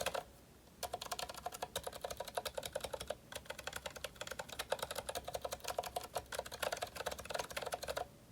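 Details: GK61 keyboard, Zilent V2 62g switches lubricated with thick lube, 1.5mm thick OEM PBT keycaps, no O-rings: steady run of soft muted keystrokes with no spring ping or rattle; lubed switches sound smooth and quiet.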